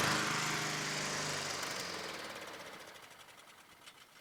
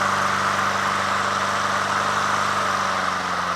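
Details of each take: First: Honda HRT216 push mower after carburetor cleaning, choke off: rapid popping about 200 a minute fading within seconds as it dies; owner suspects overly potent fuel treatment in gas, failure to start. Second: Honda HRT216 push mower at lowest idle after carburetor cleaning, which earlier surged at low idle: steady even purr with no surging or hunting; fixed, normal idle.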